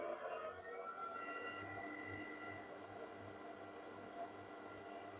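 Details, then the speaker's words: DaranEner NEO 300 PRO portable power station while charging from the mains: steady, fairly loud cooling fan whir with faint low pulsing hum, no rattle; silent when not charging. Cooling fan at full speed. "Mais il est vrai que quand ça va venir charger, ça fait du bruit. Je vous remonte un petit peu. Hop. Alors, hop, parce qu'il va détecter qu'il est en charge. Voilà. Donc il lui faut un petit laps de temps, mais on entend bien le ventilateur."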